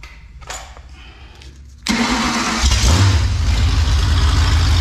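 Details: Ford 302 V8 with no mufflers, after refitting the bellhousing and starter to cure bad bellhousing vibration blamed on a cheap flywheel: it cranks, catches and settles into a deep, steady idle with no shake or knock; vibration fixed, though antifreeze is now leaking.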